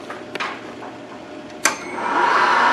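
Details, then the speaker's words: 2005 Wood-Mizer LT40 sawmill power feed motor, previously working only in reverse: after a few clicks the motor whir builds and holds steady in pitch; normal running after replacing the variable speed controller module. "hook back up the battery power it worked works yup definitely working now"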